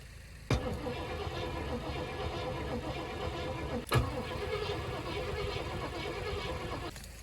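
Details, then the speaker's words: 1980 Cadillac Seville front-wheel drive, digitally fuel-injected 6.0 L 368 V8: two steady starter bursts of about three seconds each, engine never fires; cranks but won't start, fuel pump heard working, spark not yet checked. "oh it didn't go that time must be pressured up okay okay i get it i don't think she's gonna go boys we may have to do uh actual diagnosis check for spark"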